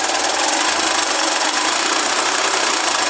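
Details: 2009 Honda CG Fan 125 motorcycle at idle: dense, fast metallic clatter from the cylinder head, suspected loose cam chain, with the tensioner and top-end lubrication being checked.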